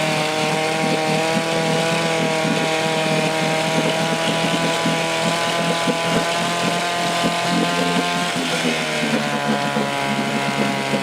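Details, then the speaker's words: 1972 Johnson 6HP Seahorse 6R-72D outboard, first start in 20 years, with fresh plugs and fresh gas: small two-stroke buzzes at steady, even speed with clean crackling exhaust and no misses; running normally. "well there you go fresh plugs that fresh gas and she'll fire off every time"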